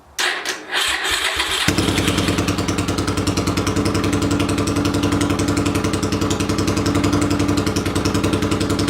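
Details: 800cc lawn pulling tractor engine, first test run in neutral with clutch in and air box and carb covers fitted: starter cranks briefly, then it catches and settles into a steady, even rumbling idle; running normally.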